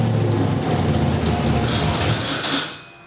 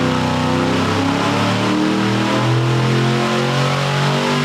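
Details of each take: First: Ford V8 on a Sniper EFI system after first startup, static timing set, 60 psi oil pressure off idle, fuel pressure set, still tuning idle; deep lumpy burble, healthy and crisp with no knocking; normal running. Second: Ford V8 on dyno with Sniper EFI, timing raised another 2 degrees and leaned, pull 2; winds up hard under load then roughens and stumbles near the top like a rev limiter; high-rpm miss visible in data log, cause unconfirmed, valve lash check considered.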